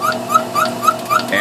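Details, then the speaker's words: Belt-driven refrigeration test bench, two-piston compressor at very low speed: sharp high squeak about four times a second, steady each turn; owner suspects worn piston rings from poor lubrication at low speed, also noting occasional once-per-revolution knocking. "since there are two pistons and they're 180 degrees out of phase I uh I think there's a problem with with one of them the squeaking I'm not exactly sure what the squeaking is if it is uh piston rings and maybe just running at this extremely low speed it's not getting proper lubrication and it's just wearing itself out"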